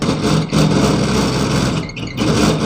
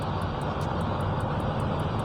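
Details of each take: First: Hatari HT-AC10R1 small evaporative air cooler: loud rushing fan roar with an uneven hum that surges and dips, noisy at all speeds; the blower hub slips on the motor shaft instead of locking to it. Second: Evaporative air cooler fan after repair of noise caused by a slipping fan shaft, tested at speeds 1 to 3: a steady, even rush of air over a low hum with no scraping, rubbing or wobble.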